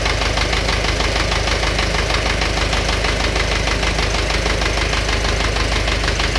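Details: Engine knock at idle: a sharp, regular knock of roughly one and a half per second ticks evenly over the engine note.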